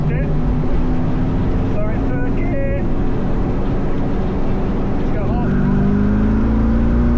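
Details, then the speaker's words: LS-swapped 2nd-gen Firebird at full throttle after fitting a non-compressing performance fuel pump sock against cavitation: engine pulls hard and steady, note climbing evenly without the former stumble or stall; fuel pressure not dropping, thought to be about 8.5; owner reckons it's fixed. "Fuel pressure's not dropping now. So, we go full throttle. Yeah. That's solid. I reckon that's fixed."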